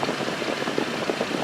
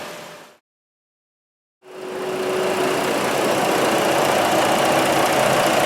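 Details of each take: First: Jeep Liberty 3.7L V6 after repair (new coil, throttle control connector replugged, map sensor leak sealed): smooth, even idle with no misfires or knocks. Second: Jeep Liberty 3.7L V6 with a rough, uneven idle and a steady stumble about four a second, a single-cylinder miss after reconnecting the throttle control connector; needs a new ignition coil.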